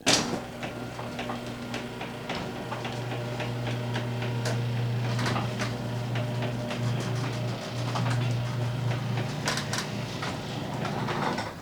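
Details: 4-panel garage door before any fixes: steady opener motor hum under rattles and clacks from the panels throughout the travel, a noisy door needing maintenance.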